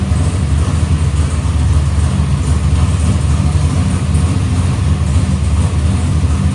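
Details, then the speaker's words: Box Chevy carburetor after a small idle mixture adjustment: deep, steady V8 idle with an even beat and no stumble; idle AFR is back where the owner wants it. "So, that small swing actually put the item AFR right back where I had it in where I wanted to run."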